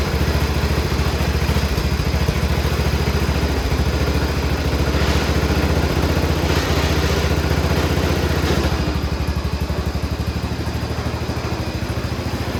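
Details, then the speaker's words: Cub Cadet 1200 mud mower, 12 hp Kohler, just revived after years in the weeds by cleaning the points, no smoke: fast loose clattering thump about 3.5 beats per second, idle set too high, engine rattling. Engine rattle and high idle. "The motor sounds like it's trying to fall out of it, and the idle's not set low enough, but we're gonna go for a little ride."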